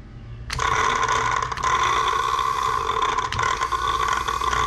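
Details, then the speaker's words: Fuel pump from a cheap dump truck, bench-tested off the truck after its connections were cleaned: it kicks on with a steady high whir, but the tone wavers unevenly with a gritty scraping edge; it works but sounds a bit rough. "that's sounding good it works sounds a little bit a bit rough"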